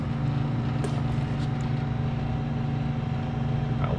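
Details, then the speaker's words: Sub-Zero refrigerator not cooling, new condenser fan motor installed: even low hum with no scraping or wobble, a few handling clicks, good airflow; condenser fan running normally. "I can feel the fan moving you guys can see it we got good airflow now so hopefully this thing works"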